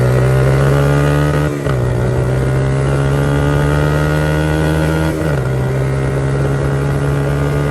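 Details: 1982 Honda XR80 fitted with an XR100 engine, restored after a leaking tank and a tank sealer that nearly ruined the engine. It starts right up and revs smoothly with two clean dips as the throttle changes, no tapping or missing. Normal running, "runs like a top".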